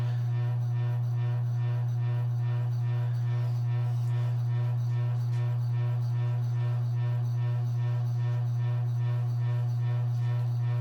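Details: Circa-1985 Evergo 4E-6EALW 52-inch hugger ceiling fan, cast-iron 3-speed reversible motor, at medium speed under an open-rafter ceiling that amplifies noise; loud, steady deep hum, likely because its rubber isolation bushings rotted away with age.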